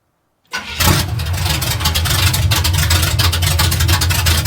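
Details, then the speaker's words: Truck with new exhaust, no drag-race cam yet sounding like one; cranks and catches quickly, then settles into deep, loud, choppy idle; normal idle, engine healthy, though a fuel leak from a hose has developed. "This is actually uh pretty awesome. It makes it sound like it's got like drag race cam in it even though it doesn't."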